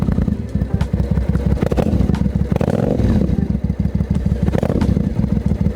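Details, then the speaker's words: Dual-carburetor motorcycle, warmed from a cold start with a few throttle blips, choke now fully off: steady, even popping exhaust beat at idle with no misses; normal warm idle. "See, that's fully off now. The choke's fully off. Being a carby bike, you want to warm it up before you hit the road and ride it."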